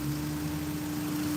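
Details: 2004 Honda S2000 with fluids flushed, AMSOIL for two years, new Blade timing chain tensioner: smooth, even hum at steady idle with no ticking, knocking or hunting; healthy, normal idle.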